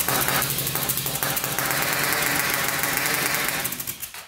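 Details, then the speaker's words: 1999 Honda 400EX turbocharged quad on 198 main jet: uneven, stumbling single-cylinder beat that surges and falls off; owner wondered if the jet was too big, but boost was leaking out the unreferenced carburetor drain bolt, then plumbed to boost. "all right i forgot to plug off the drain bolt for the carburetor so that needs to be referenced to boost as well so i just did that"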